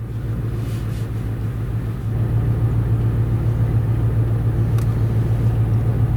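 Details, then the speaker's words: Auction-bought vehicle with hesitation, a system failure message and poor O2 sensor readings; deep, lumpy idle with an uneven pulse around three to four a second, running rough; throttle reading 19, owner suspects throttle position sensor. "after letting it sit here for a little bit says there's some sort of system failure we're getting some crappy o2 sensor readings [Music] oh yeah you can hear some it's like really pissed off"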